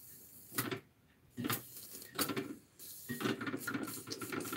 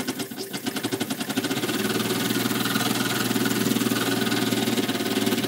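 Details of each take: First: Small model steam engine, now warmed up, running wet: irregular wet chuffs with spitting, splashy hiss about one beat a second; water carry-over (priming) from an overfull boiler, less dribble when the boiler is less full. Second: Small model steam engine, brass frame bolted to boiler, freshly reamed: light fairly regular knock through steady engine beat; intended bearing clearance, crankshaft would seize from expansion without it; normal.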